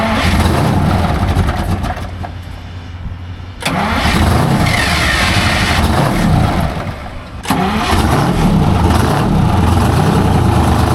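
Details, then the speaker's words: Junkyard semi truck after changing and filling fuel filters and replacing primary fuel line (misfire diagnosed as low fuel pressure): cranks, catches, strong steady rumble on all cylinders; normal running. "Sounds a lot better. Way better. Much better. >> Sounds like it's running on all 12."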